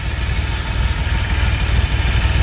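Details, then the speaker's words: DeLorean after cold start, running on its own but a little hard to start; deep uneven idle with lumpy pulse that never settles; intake vacuum leak still drawing in air, being found with a smoke machine. "ucking in all sorts of air I'm imagining we're still gonna have that problem until I get it fixed but it's running it's running on its own is a little hard to start"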